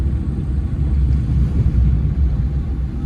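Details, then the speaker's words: Maruti Eco coasting with throttle closed after all four worn wheel bearings (which caused a humming noise while running), gearbox and differential were replaced; only low, even road rumble, no speed-rising hum, so the wheel bearings sound healthy. "இப்போ பாருங்கள், இப்போ throttle நான் வந்து down பண்ணிட்டேன். அப்போ கூட பார்த்தீங்கன்னா ஒரு நாய்ஸ் கூட இல்லை"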